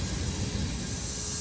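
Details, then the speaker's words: High-pressure steam valve feeding a level transmitter, before tightening the packing: constant sharp high hiss over a low rumble, unchanging. Steam leaking past the valve packing. "okay you can hear the steam flowing through the package as"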